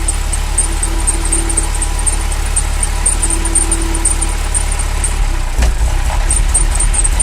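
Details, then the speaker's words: Ferrari V8 idling after new sensors fitted, with an uneven stumbling misfire when the cylinder 1–4 bank sensor is unplugged; loose fan belt present; runs normally once reconnected. "so when i pull it you hear it start missing don't worry about the fan belts just loose at the moment i've got to tighten it up and this is cylinders one to four"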